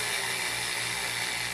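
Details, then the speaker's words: Vintage Sunbeam Mixmaster Model 9 that sat unused a long time, run through its speeds before restoration. Steady, somewhat laboured high motor whine; it seems to drag, and the speed cap is very hard to turn, likely hardened grease. "speedcap is extremely hard to turn here but I think that maybe all just signs of sitting around"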